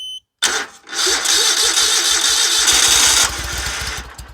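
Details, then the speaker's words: Dixie Chopper zero-turn with Generac engine, no start, on brake cleaner sprayed into the intake: catches with a cough, runs raggedly briefly, then dies; spark and compression confirmed, fuel issue. "runs and dies so what we just did now we know we got fire we got compression it will run so it is a fuel issue somewhere"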